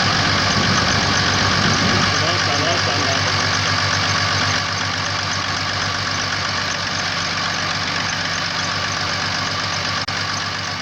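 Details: Mercedes W164 with OM642 diesel: harsh, clattery beat about four per second over a steady idle, with hard starting after gasoline contamination; rough running from failed injector nozzles.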